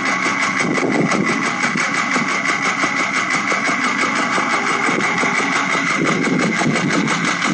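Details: Late-model Porsche 996 911 Carrera 4, noise present about two months and 2,000 km; it stops when lifting off the throttle while driving, so owner suspected the fuel pump. Rough rhythmic ticking about three beats a second at idle; internal engine fault, engine replaced.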